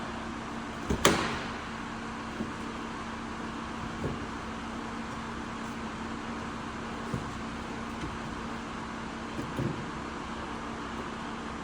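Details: Nissan Juke 1.2 DIG-T turbo petrol after timing chain kit replacement (had leaking valve on cylinder 2), first start with fresh coolant: brief crank and catch, then quiet steady idle with even hum, no knocking or rattling; normal.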